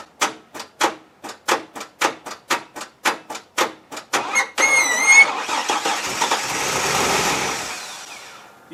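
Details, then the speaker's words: Chevrolet S10 4x4 4.3 V6 run with the oil drained until it dies: after stalling, slow uneven cranking then a harsh ragged catch; engine damage from oil starvation. "so here we are and the truck is just starting to get like a lower idle it's still the same"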